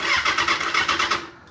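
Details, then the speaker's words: 2016 Kawasaki ZX6R that the seller couldn't get running for two months, after the ignition switch was plugged back in: quick, even starter pulses turning the engine steadily, no grinding or clicking, normal cranking. "that so we actually did it guys we actually got this thing to crank"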